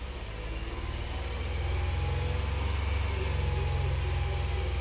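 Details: 2022 Hyundai Palisade, known-good car, revved to 2,000 rpm while checking cam position against set points: smooth, even hum with no knocks, ticks or misses; normal running.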